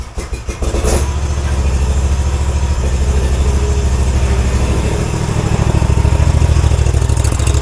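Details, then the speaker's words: Zero-turn mower after PTO electrical troubleshooting, key on and PTO engaged: steady, even engine note with smooth low thrum, no misses or knocks; PTO clutch gripping well. "well that sounds good man listen to that she's gripping good real good"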